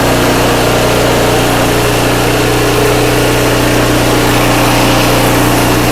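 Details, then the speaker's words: Craftsman 5/24 track snow thrower, small single-cylinder engine, after carburetor cleaned with carb spray and compressed air (seller's earlier carb clean failed): smooth, even at steady speed, no hunting or surging; healthy, restored. "all right guys well that sounds great glad it came back so well i'm not surprised because this one wanted to run just right from the very beginning"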